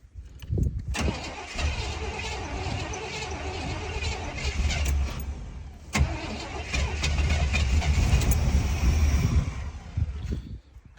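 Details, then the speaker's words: 1987 Chevy K5 Blazer 350, long-sitting non-runner, after ATF soak in the cylinders, fuel poured in by hand: fires and runs rough and uneven about nine seconds, then stumbles and dies; fuel pump later confirmed dead. "sure the fuel pump's out cuz it basically will usually run just enough to take the fuel you put in here."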